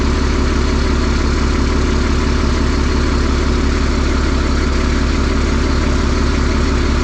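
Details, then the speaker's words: Diesel engine on a hay squeeze, just wired and plumbed with a fuel filter, slow to catch after cranking, oil pressure then 60 psi: deep, even rumble at steady speed with no knocks, misses or surging; healthy idle. "Okay, it should fire up. Takes a while for it to wake up and catch back up after I crank on it."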